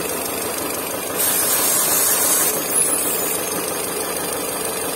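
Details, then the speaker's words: Peugeot 407 on LPG, running badly with ignition coil faults: at idle, spraying cleaner at the intake gives a hissing suck that swells and turns uneven; vacuum leak at a non-original inlet seal needing replacement. "when you spray some soap or it's not good to do so but brake cleaner and you put it here you can you can hear a sucking noise uh it's sucking in the stuff"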